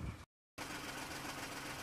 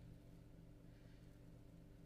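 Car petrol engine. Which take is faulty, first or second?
first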